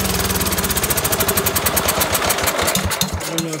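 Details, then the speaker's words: Cub Cadet 2135 single-cylinder at three-quarter throttle, choke closed manually: screams at very high unchecked rpm, doesn't drop when throttle pulled back; governor spring not under tension, throttle/governor setup wrong. "that was running but that was ridiculously high I mean I don't even know what RPMs that is"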